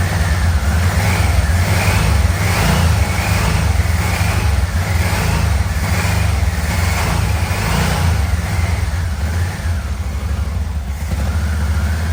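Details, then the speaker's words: 1987 Yamaha Venture Royale 1300cc motorcycle, first run in a long time, throttle cable not connected, idling on the carburetor: lumpy uneven idle sagging every few seconds; occasional misfire at idle, owner suspects a wiring issue, not confirmed. "we we're having a little bit of a wiring issue still like an occasional Miss right there um haven't tried to see if it'll go into gear but I mean it's idling on that carburetor"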